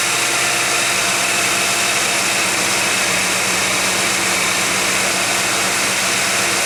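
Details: 1991 GMC Jimmy, up to temperature at 55°F ambient, holds a steady elevated idle with a slightly rough, busy note. Flammable spray showed no vacuum leak. Owner suspects an air-fuel or other sensor giving false information.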